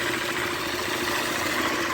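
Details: KTM motorcycle at steady idle with a fine, tinny buzz over the exhaust, traced to loose screws on the magneto cover; removing the cover revealed the loose screws causing the noise.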